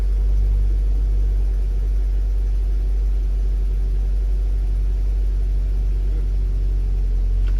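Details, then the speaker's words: 2011 Ford Transit Connect idling, warming up with heater on, after water pump replacement: steady low rumble with no whine or squeal; earlier whine likely from the old pump's bearing. "it's not whining anymore so that's a good thing"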